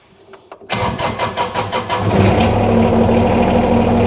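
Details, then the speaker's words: John Deere 2210 sub-compact tractor, Yanmar diesel, after oil, filter and air filter change: short crank then smooth even idle with no knocking; had been stalling, under 200 hours since last oil change. "you can hear I've got the John Deere 2210 running and it purs great now actually with this yanar engine I can tell when it needs an oil change by the sound of it"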